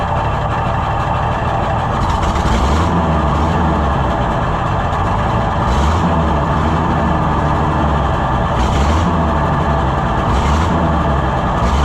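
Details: Junkyard Oliver Super 77 tractor in neutral, after fitting a new carburetor that is still being adjusted. A low, steady rumble holds at idle with a few brief surges; it runs evenly enough, though the intake manifold has a hole and is not sealing.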